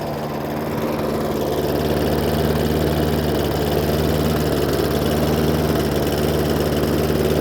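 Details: Hayter Ranger 53 mower saved from the dump, running at full throttle measured around 2,200–2,500 rpm on tachometer; steady even low drone with no climb in pitch, engine will not rev to full speed.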